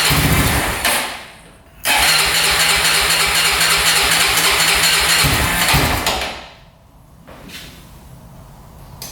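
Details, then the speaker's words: 2004 Honda 400EX quad that bogs and would not run, after carb clean and valve adjustment, started on choke: several cranking tries before catching, then rough choked idle surging and fading; hard starting, cause not yet known. "So, right off the bat, it has trouble starting. So, that's not good."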